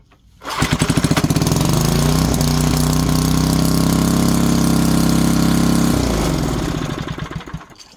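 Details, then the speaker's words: 1970s Briggs & Stratton 4 hp single-cylinder on an air compressor, after a starter fix, started on choke: catches quickly, steady even thump with no misses, winds down smoothly; runs healthy. "okay I don't want to run too loud tonight but uh yeah that's pretty cool fires up and runs"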